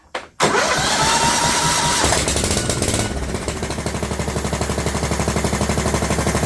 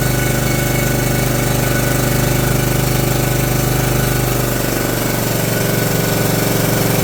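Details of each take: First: John Deere LT150 with swapped-in 15 HP Kohler engine, no choke, after priming the dry fuel pump by blowing into the tank: starter whirrs, engine catches, loud sharp puffing idle about four beats a second; exhaust leak (overlong exhaust studs). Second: John Deere LT150 mower with swapped-in replacement 15 HP Kohler engine: loud steady single-cylinder thump at even pace, no misses or knocks; runs better and quieter than the day before, normal running.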